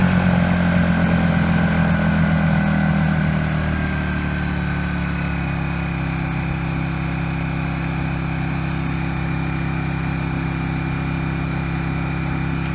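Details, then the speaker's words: Honda EU1000i inverter generator running rich with carburetor trouble, before repair: the engine wavers and stumbles as revs drop, then drones roughly, stuttering at intermediate speed and more under a 60 W bulb load. "er and if you put a load on it it stutters even more I only have a 60 watt light bulb so it's not going to probably stutter severely but you'll get to see what it's doing"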